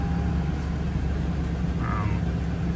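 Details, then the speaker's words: 2012 Toyota Tundra V8 started after new ignition coils and spark plugs, check-engine light still on: an even, steady low idle with no stumble or skipped beats; not misfiring, normal. "maybe I'm going to have to erase the light cuz it's not misfiring or not."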